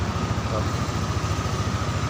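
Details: Yamaha NMAX scooter (no kick starter) after fixing the non-working electric start system: low, regular thumping idle at a steady rate with no stalling or hesitation, no MIL blinking; engine sounds healthy.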